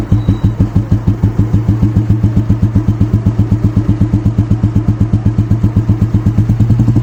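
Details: 1985 Royal Enfield Standard 350cc (Electra) Bullet restored to 2020 Classic style: even, slow thump of a big single, about ninety-five beats a minute, steady and unbroken; healthy idle.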